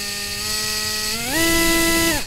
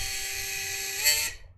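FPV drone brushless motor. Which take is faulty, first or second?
second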